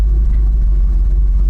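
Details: 1989 GMC Sierra 3500 350 V8 with HD 400 transmission, just started: uneven, lumpy idle with intermittent stumbles, like a cylinder dropping out from worn plugs and low compression; runs fine until loaded.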